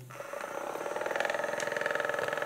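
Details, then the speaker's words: Kraft massage gun right after thin liquid-oil lubrication of the mechanism for a noise problem: fast, even buzzing pulses with a rattly mid-pitch edge; noise expected to fade after 10–15 minutes of running. "Arkadaşlar bir 10-15 dakika çalıştıktan sonra bu cihaz yağlanmış oluyor ve sesi kesiliyor Baya ciddi derecede kesiliyor"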